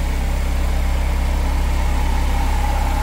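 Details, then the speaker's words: 1998 Mercedes SLK230 R170 M111 Kompressor with exchange/cloned ECU fitted: steady even idle, no hunting; original ECU caused hunting and limp mode by failing throttle body communication. "it starts working perfectly again. And this is only due to the ECU not being able to communicate with the throttle body, not going through the tests."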